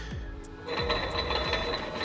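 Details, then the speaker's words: Mazda Protege (Mazdaspeed) with turbo, failure noticed while cruising near 3,100 rpm; rough crunching from the turbo with a repeating falling sweep about twice a second, building zero boost; badly worn turbocharger bearing grinding suspected. "I don't know if you guys hear that. It is not supposed to sound like that. It sounds like it's crunching. So, this is a ball bearing turbo."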